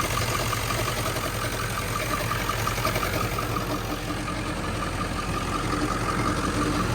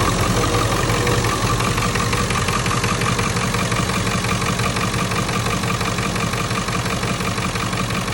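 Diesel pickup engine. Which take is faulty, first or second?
first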